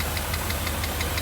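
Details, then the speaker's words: 1982 Mercedes 380SL V8, warm idle after installing a new pre-oiled timing chain tensioner: light, sharp ticks about six a second ride over a steady idle. A top-end tap on the passenger side; cause unknown. "I do have a little uh tap tap tap over on the uh passenger side"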